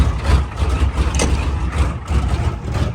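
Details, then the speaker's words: Old IDI diesel truck, unstarted for close to a year, deliberately over-fueled and started with the glow plugs at full heat on a battery tender; it settles into a deep, steady diesel clatter and rumble with no misses or knocks. "This thing is a beast, man. She hasn't fired up in probably close to a year now. But she always pulls through for us."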